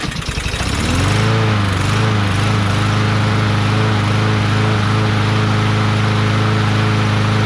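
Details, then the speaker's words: Craftsman push mower with a Briggs 550EX engine after fitting a new plastic replacement carburetor; the old one was possibly missing a red O-ring and it surged at first. It now catches and runs at a smooth, steady drone with no surging. "I gotta admit, it sounds great. We put the air filter back on here again."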